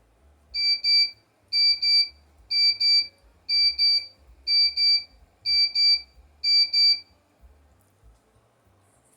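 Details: Cooler Master Wave Master case with Aerogate II fan controller on a Socket 462 build, fans turned all the way down; high-pitched paired beeps repeat about once a second as the controller alarm trips on low fan speed.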